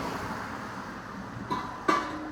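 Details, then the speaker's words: VW Eos after fitting a diverter (dump) valve spacer: a quiet, even idle with no stumble or misfire and a couple of light background clicks; the earlier misfire and stuttering are gone. "Oh, it's idling beautifully. It's not idled this nice since I've had it."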